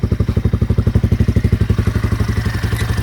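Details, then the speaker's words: RPS Magician 250 Chinese CG-style single with over 10,000 miles: crisp, even exhaust thumps about eight per second at a steady idle, no knocking or misfires and no smoke; still runs good. "Blinkers, but it still runs good. Let's fire it up, Chris. Look at that. No smoke. See?"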